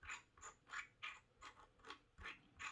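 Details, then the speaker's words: New Corsair K100 keyboard's scroll wheel flicked about three times a second; gritty, scratchy rasp with scratchy resistance felt on each stroke, cause unknown, a scratchy scroll wheel. "Now, this wheel this is new. All right. Well, I don't know if you can hear it. It feels like there's some kind of scratchy resistance there."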